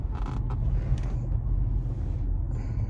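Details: 2022 Toyota Camry SE AWD while driving: short dry creaks over low road rumble when the driver's body shifts right, as on bumps or turns; the seat bolster is rubbing against the armrest.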